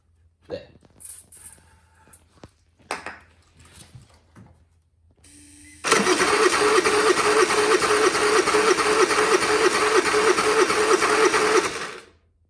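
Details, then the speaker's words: Honda EU30is inverter generator bought untested at auction, choke off, on its electric start: the starter spins steadily at about three beats a second for six seconds but never fires. "that doesn't seem good it didn't do anything the chok's not on so that would have got in there i' normally expect a Hond engine to cough quite quickly"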